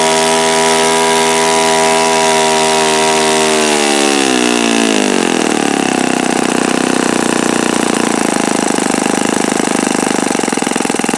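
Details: Repaired OS FS-48 Surpass four-stroke (blown-out crankcase repaired) on stand, checking peak RPM on the given prop: smooth buzz climbs to a clean, even full-rev scream, no rattle or grinding; mixture richened after knocking. Normal high-rev run.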